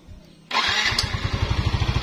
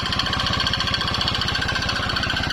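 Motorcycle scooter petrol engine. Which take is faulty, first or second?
second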